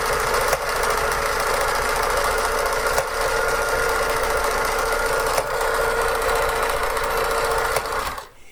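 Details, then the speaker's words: Vintage Pfaff 360 sewing machine from a thrift store, sewing a decorative pattern stitch: a fast, even clatter of about three to four clicks a second as the needle jumps side to side to form the pattern. This is normal operation. "gonna hear that clicking that's just it's it jumping off because it wants a quick a quick jump stab on the picture you're making"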